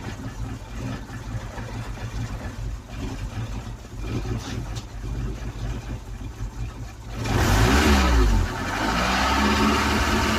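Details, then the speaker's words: Ford Cortina started after tinkering: idle beats unevenly with a slight stumble every few turns, then a short throttle blip; still a little lumpy, rough idle. "Sounds good. Still a little bit lumpy. Still a little bit lumpy. Well, that'll do."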